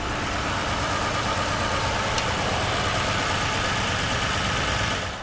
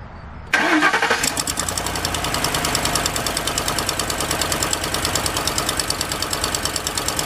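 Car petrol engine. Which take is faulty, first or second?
second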